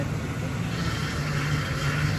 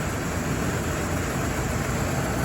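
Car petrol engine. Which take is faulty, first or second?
first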